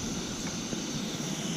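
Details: Coleman 533 Dual Fuel stove on high after 10–15 extra pumps, blue flame: steady even rushing roar with no sputter or pulsing; burner running clean with good tank pressure.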